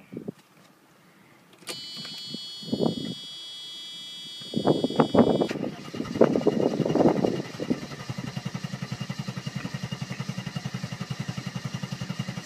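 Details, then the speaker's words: 1990 Mercedes 300SE, 3.0 straight-six parts car, started cold after sitting a day without starting fluid. Uneven cranking, then it stumbles into running; hard cold start, also low on power, possibly fuel adjustment or plugs/cables. "sitting for a day give it a shot of starting fluid it usually fires right up but i'm going to try and explain what happens if you don't"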